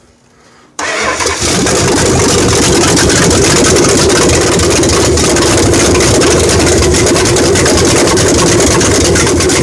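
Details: 1968 Dodge Charger R/T 440 V8 first start after rebuild, exhaust pipes from manifolds not yet redone: catches instantly into a loud, raw, even lope with steady firing, idle raised slightly before cam break-in; runs great, normal.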